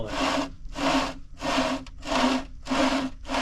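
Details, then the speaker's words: 6170R differential during reassembly, pinion shaft turned by hand. A dry scraping rub repeats about once a second per pinion turn. It did this before disassembly too. Cause: plastic shield rubbing on the ring gear. "you'll hear it when I'm turning the pinion shaft you can hear that and it did this before I took it apart too"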